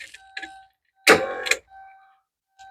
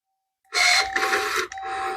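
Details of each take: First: Porsche 944 left in the woods for a year, powered up on a battery: window motors run both directions with steady even whine, no grinding or straining; normal power window operation. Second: Porsche 944 left in the woods a year, power mirror motor: short bursts of thin, steady high whine as it moves each way; works in all directions but sounds like it needs lube (suspected, not confirmed).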